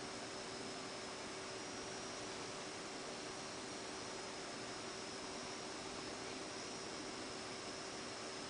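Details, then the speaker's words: Fischertechnik pneumatic robotic hand and arm: the little motor gives a steady low hum with a faint whine and never speeds up, doing something but unable to run; it is stalled, blamed on a sensor problem. "alright then starting it and you immediately hear that the motor is doing something but it can't run and that is a problem of the sensor"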